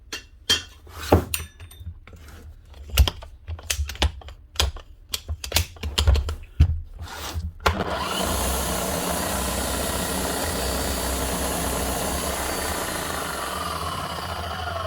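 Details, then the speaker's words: Bosch GSH 11 E demolition hammer, 25 years old, worn tool holder, before repair: handling knocks, then the motor whirrs steadily and badly with no hammer blows at all; no hammer action from a loose wobble ring; needs a full strip and service. "right so she's doing squat she's the same as the last one not doing anything the motor's running badly the hammer is doing absolutely nothing"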